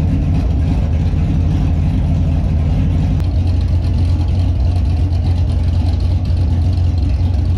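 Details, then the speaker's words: Warm V8 Holden Monaro with small cam, PCV/crankcase breather refitted: loud, lumpy idle with an uneven, hunting low rumble; it still won't idle properly warm and the breather change made no difference, cause unknown. "it's still not idling when it's warm so i just put the pvc and crankcase breather setup back on just to see if that had a difference in it"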